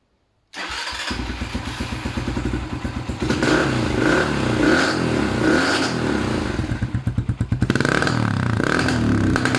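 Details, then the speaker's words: Small motorcycle engine (Racer) runs rough and uneven, stumbling, sputtering and bogging, with black smoke and soot. Running rich from a loose main jet and dirty carburetor. Worn spark plug and ignition lead were also found. "человек пригнал его сказал что есть провал и черный дым копоть"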